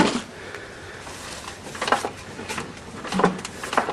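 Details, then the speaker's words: 12 hp Briggs & Stratton Industrial Commercial lawn tractor engine, unbolted, hand-cranked slowly with no firing; dull irregular clunks at each end of rotation; block not cracked, may be rebuildable; broken connecting rod. "It sounds like it threw a rod because it turns all the way one way, goes clunk, all the way the other way, but it didn't crack the sides of the block, so it may be rebuildable."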